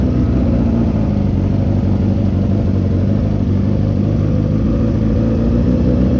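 Motorcycle idling and blipping with a raspy, puffing chuff under the exhaust note, typical of a leaking exhaust joint.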